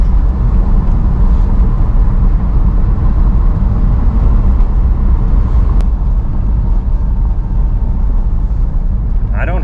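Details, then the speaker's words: 2002 Porsche 911 C4 (996), 122,4xx miles, driving rough street after front control arm replacement to cure slow-speed clunk; steady low road rumble, no knocks or clunks, suspension improved. "o good i don't hear it it's definitely improved"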